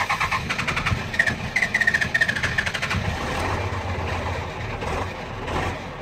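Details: Cummins 12 valve diesel, rebuilt .040 over, timing ~16°, injection pump ~20k old: catches with uneven pulsing bursts, settles into lumpy loping idle miss; worsens after minutes of running until stalling despite new fuel filter, lift pump, governor springs; cause unknown.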